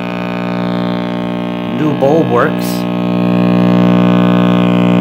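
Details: RCA Victor X551 vintage tube radio at first power-up after restoration and power cord rewiring (switched hot leg to rectifier, neutral to ground): loud steady low buzzy mains hum; owner suspects last-soldered filter cap, reading unconfirmed.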